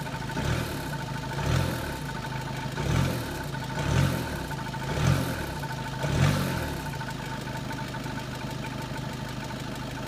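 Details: 2013 SEAT Leon 2.0 TDI cold idle: rough rattling burst about once a second, then a brief rev; rattle goes away once fully warmed up, cause unknown.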